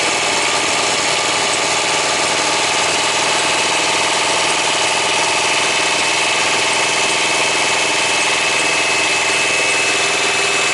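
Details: Thermo King APU diesel on a truck, just started after bleeding: steady loud engine drone with a thin constant high squeal; drive belt paper thin and barely turning, slipping; unit not cooling well and low-voltage indicator coming on.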